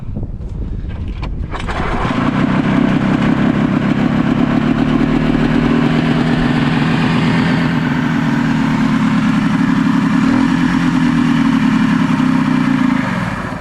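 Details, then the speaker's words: Ski-Doo Mach 1 700 triple-cylinder two-stroke snowmobile, previously seized, with starting fluid sprayed directly into the carbs: it fires and runs roughly and unevenly for about ten seconds. Runs only on starting fluid; the fuel tank is found dry. "shot all right so it ran on Star fluid so I'm assuming this thing's out of fuel or whatever so I'm going to look into that next"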